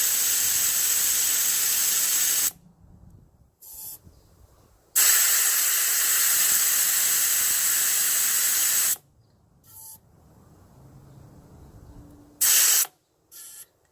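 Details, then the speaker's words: Boulder rapid tire deflator on the rear wheel, airing down from 30 to about 20 psi: a loud, steady high-pitched air rush in two long bursts with short pauses; tire deflating normally through the valve. "Get the valve in there, feels firm here. Twist this off. You can hear the little air coming out."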